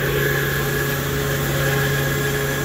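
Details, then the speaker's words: Baldor fan motor on an AAON unit, the normal-sounding comparison unit: smooth, even drone with a clean tone and no bearing howl, grinding or roughness; motor running healthy. "I don't hear the howl the bearings"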